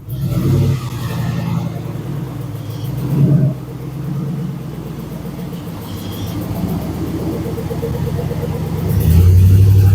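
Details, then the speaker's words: 2001 Ford truck 4.6L V8 after blown spark plug thread repair: even, deep rumble with a light rev while backing out, no misfire or popping; runs like a normal truck with a slight exhaust leak, possibly also a dirty MAF before. "It sounds like a regular truck with a little bit of an exhaust leak. That's all."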